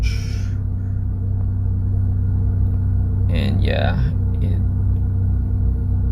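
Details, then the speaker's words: Toyota 4AFE after throttle body and IACV cleaning and an ECU reset that fixed a 1200–1400 rpm high idle: near operating temperature, AC on, idle below 1000 rpm, steady low hum with no hunting or surging. "so as you can see it's already below 1000 when the temperature is already close to the operating temperature and that's even with the aircon on"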